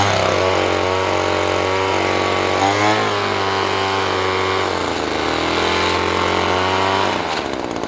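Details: Echo PB-200 two-stroke leaf blower, found abandoned roadside, after cheap fix: buzzes high and steady, revving slightly up and down but holding speed cleanly without stumbling or cutting out; normal running.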